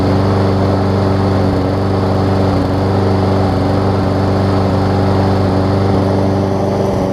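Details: Briggs & Stratton Quantum push mower engine after cleaning clogged carb main jet and priming: loud, even, steady buzz at constant speed with no surging or sputter, slightly smoky; running properly.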